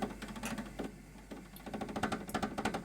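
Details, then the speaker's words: Schaublin 102N-VM, first run after cleaning the drive system: the power feed and gearbox are stuck, with a rapid uneven clatter of about three knocks a second as the gears fail to engage; cause not yet known. "Everything sounds good, but the power feed and the gearbox is stuck. And that doesn't sound really good. It's not engaging on the gears."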